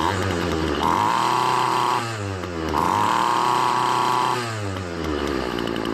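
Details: Poulan Pro two-stroke trimmer after fixing a carburetor diaphragm gasket installed on the wrong side by a previous repairer, fuel priming and returning properly: revs cleanly to a high steady scream and drops back to idle twice, no bogging. Normal running.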